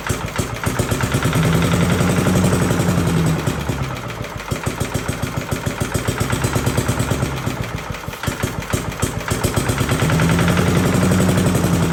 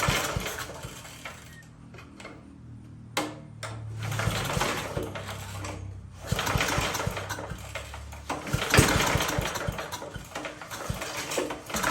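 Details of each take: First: 1982 Billy Goat vacuum single-cylinder engine after an ignition swap: it barks fast and steady, speed swelling and easing a little. Firing cleanly, a very solid running engine. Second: 1982 Billy Goat machine after an ignition swap, now with good spark: cranks and fires in short ragged bursts on starting fluid only, then dies; fuel not reaching it from the carburetor.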